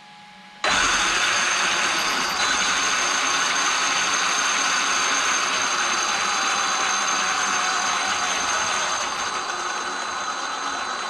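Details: Traxxas X-Maxx RC truck after the Cushdrive repair (the Cushdrive had been chewing up spur and pinion gears): the motor spins to a constant high whine without surging high-low like before, "way better". Normal drivetrain, though a slight tight spot remains.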